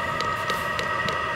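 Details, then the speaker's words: VEVOR 27,200 BTU diesel air heater (12/24 V) on first startup, warming up: steady fan whine with evenly spaced pump ticks at about three per second and no faltering. Normal running. "getting more Rhythm this thing runs on either 12 volts or 24 volt it doesn't care sounds like it's getting going now"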